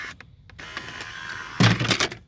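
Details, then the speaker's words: 2008 PT Cruiser replacement window motor from a parts car, key on, switch pressed: steady electric whir about a second, then clunks as the regulator reaches end of travel; normal power window operation. "turn the key on and we're gonna hit that power window switch and watch what happens we'll scuffle okay so I want to show you this is how your winder goes up and down"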